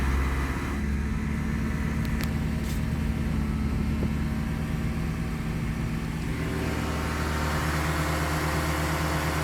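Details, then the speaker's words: Great Wall Hover H5 with a Mitsubishi petrol engine at 109,000 km, 4,000 km after a timing belt kit replacement: dull rapid knock at idle swelling as revs rise, fading above 2000 rpm, caused by a weak hydraulic timing belt tensioner. "сначала стучащий звук на холостых оборотах и при наборе сначала будет усиливаться"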